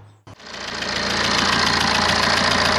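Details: BMW E82 123d, N47 diesel, after replacing an alternator with worn, squealing bearings: engine catches quickly and settles into an even idle clatter with no belt squeal or bearing whine, charging 14.8 volts; running normally.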